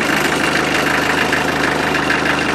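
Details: Land Rover Defender with 2.5 naturally aspirated diesel, injector pump refitted, after cleaning a bad wiring contact for intermittent start and no charge: steady even diesel clatter at idle, no misses or knocks; running normally.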